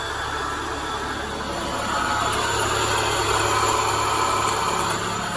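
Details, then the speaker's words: Peugeot 306 with overheating on long trips, idling with AC switched on: steady idle with continuous rough rumbling whirr from worn AC compressor bearing, to be replaced; tensioner roller fine, temperature normal. "Suara itu ya, suara dari kompresor laharnya. Ya kalau ini sudah oke, kelihatannya normal. Cuma ya itu suara kompresor laharnya kena."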